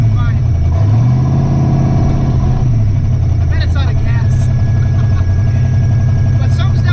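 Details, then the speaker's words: Twin-turbo Ford Ranger V8 on E85 with retuned timing and fuel, driving: deep, steady drone with no surging, bucking or missed beats after fixing transmission file error; normal running while driving. "sounds like driving really smooth"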